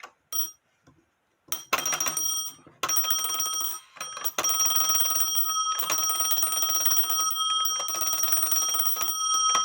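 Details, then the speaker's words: Black Forest Postman's clock with alarm, no known maker, dated 1840 by an expert (owner estimated 1850–1880), tested on table after bell post tightened with tape on threads: a few short starts then bright, sustained rapid bell ringing, loud and clear; alarm bell normal and louder. "Like I said, it is louder."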